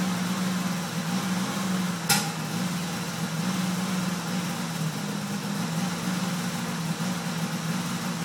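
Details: 1998 Dodge Caravan 3.3L flex fuel, warm after 10–15 minutes, throttle held steady at 2,500 RPM: uneven drone with a sharp backfire pop, misfiring and cutting out; fixed by flex plate repair and replacing faulty aftermarket cam sensor.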